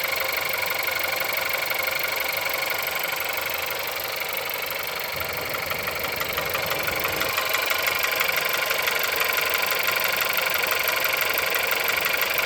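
Cold idle with a sharp, even tapping about four times a second over the engine, a clear knock whose source can't be pinned. Cause suspected, not confirmed.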